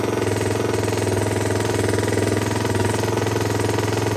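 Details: Rebuilt KTM 250 first start after engine reinstall, no silencer or airbox fitted: loud open-exhaust single thumping at a fast, slightly uneven idle; it runs, but idle can't be set until the airbox is on.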